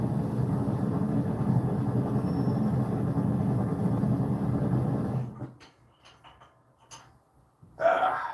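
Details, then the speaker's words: Propane forge burner fitted with a safety valve: a steady low roar sputters, falters and dies after about five seconds, leaving scattered clicks as the propane tank runs empty and needs refilling. "Unfortunate as it is. Looks like my propane tapped out. As you could hear it probably sputtering like a motherfucker."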